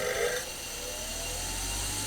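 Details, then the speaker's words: Bench grinder with paper sharpening wheel on 1/2 inch arbor, wheel trued to remove wobble: motor spins up to a steady, even high whir with no wobble or rumble, normal running with low vibration. "That's pretty smooth. We're fortunate that I've trued this wheel a bit and taken some of the wobble out of this, which is easy to do."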